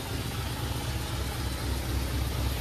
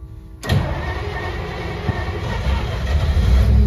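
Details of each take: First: 1953 Pontiac Chieftain below freezing, after many start attempts with no choke: low, steady throb with even pulses and no misses or knocks as the cold engine settles into a smooth idle. Normal cold idle. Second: 1953 Pontiac Chieftain, cold start in freezing temperatures after sitting about a month: the starter cranks, the engine catches with a rough, uneven roar, then sags and fades, refusing to stay running. The cold is suspected to be a factor.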